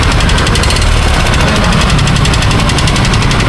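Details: Used motorcycle engine: a fast, regular knock over a loud, steady engine note, loudest at one spot; owners think the block and bottom end need replacing, though the cause is unconfirmed.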